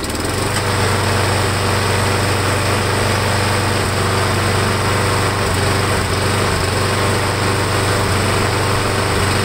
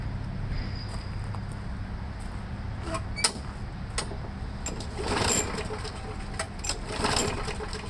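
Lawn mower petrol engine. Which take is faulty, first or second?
second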